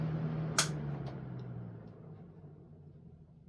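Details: Homemade 10-inch ILG box fan, ILG Model 103 blade on an old Eskimo desk fan motor, just serviced: click as it switches off, then a low hum fading smoothly and evenly with no rubbing or rattle; normal coast-down.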